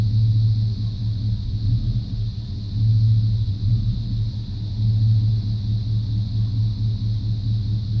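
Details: 1995 Chevrolet C1500 350 TBI V8: deep lumpy idle surging and sagging every second or two; idle misfire persisting after replacing plugs, wires, cap, rotor, EGR valve and coolant temp sensor.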